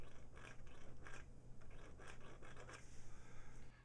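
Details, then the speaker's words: JBL 2241H 18-inch woofer reported not working, suspected blown, removed from cabinet before recone: dry scratchy scrapes each time the cone is pressed by hand, voice coil rubbing in the magnet gap. "all right something inside the speaker is rubbing up against something it's not supposed to okay"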